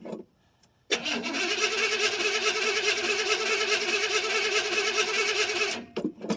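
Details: 1979 Chevrolet C10 Bonanza Big 10 with 305 two-barrel V8, cold start after sitting about a month: quick cranking catches into a busy, slightly lumpy run that steadies out; normal cold start.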